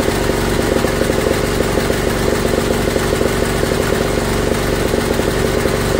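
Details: Old Briggs & Stratton gas-fuelled generator with electric start, first run in years after a regulator purge, quick even beat with no misses or knocks; engine runs but gives no power output, bare wire found; normal running.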